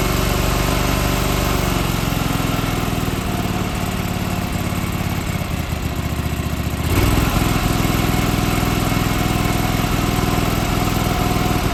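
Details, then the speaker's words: John Deere 425 garden tractor, sat for years, new starter, restarted: uneven, lumpy running with stumbling beat and a surge, then sputtering and smoke smelling of oil; cause not confirmed, needs work. "oh it definitely needs a lot of work but it's getting closer so the end there it started sputtering and smoking almost smells like oil"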